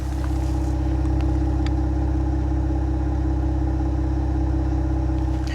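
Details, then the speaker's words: 2025 Ram 1500 Rebel, 3.0 SST twin-turbo inline-6, 2,500 miles, codes and check engine light still present: after sitting 5 minutes and restarting, smooth even exhaust note at steady idle, running normally; owner expects misfire to return after 20–30 minutes idling. "I fired it back up it's running perfect now the check engine light is still on all the codes are still there but take a listen to the exhaust now"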